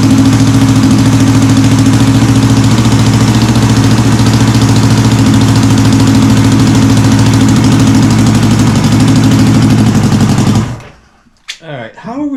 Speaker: It's loud, but it doesn't sound too bad.